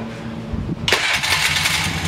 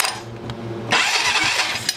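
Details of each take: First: 2001 Polaris Sportsman 500 H.O. single-cylinder ATV, first start after a teardown and rebuild following a rodent nest in the head; cranks, catches quickly and settles to a steady quiet idle, no knocking or ticking; healthy, only needs a new throttle cable. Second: 2001 Polaris Sportsman 500 H.O. with a rodent nest in the head, starter jumped with the key on: the starter whirs and spins the engine steadily but it never fires; cause unknown, owner suspects a faulty intake boot.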